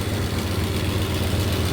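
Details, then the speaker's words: 1993 Dodge Ram D150, 5.9 Magnum 360 V8, idling after capping the EGR intake hole: steady idle with a hard, even chuff on each firing pulse from the uncapped EGR exhaust opening; otherwise sounds healthy. "Se oye bien la máquina, chatos. Nada más ese ruido del escape es todo, pero la máquina se oye para mí perfecta."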